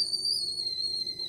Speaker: And my water is boiling because I hear it whistling.